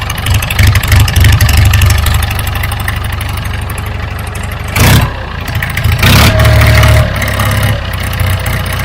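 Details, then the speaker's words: Vintage David Brown 990 diesel tractor with front loader, bought as non-runner: steady low chug about three beats a second, a couple of brief revs, then even idle; normal start and idle. "oh that sounds beautiful"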